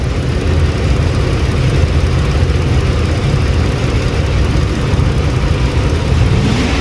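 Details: 2008 Lincoln MKX 3.5L AWD, 199,000 miles, check engine light, runs rough mornings and worsening; rough uneven idle with a dull low rumble and lumpy beat, misfire from one dead fuel injector showing no injection pulse on the scope.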